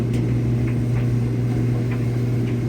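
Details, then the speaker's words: Samsung moisture sense dryer, a few years old, after repairing a no-drying fault, running on high heat for 20 minutes: steady low hum, even drum rumble, soft tumbles, no scraping or squealing; normal operation. "I hear that glorious sound."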